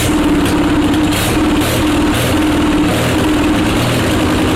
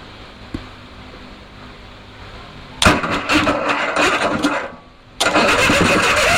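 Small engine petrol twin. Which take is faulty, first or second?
second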